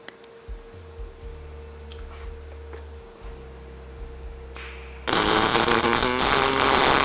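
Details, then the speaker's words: HTP dual-voltage all-in-one multi-process welder on single pulse, 1/4-inch material, 7018 rod, about 120 amps; after quiet shop hum, a steady even crackling hiss with no popping or sputter, a smooth stable weld. "All right, that went in there pretty smooth."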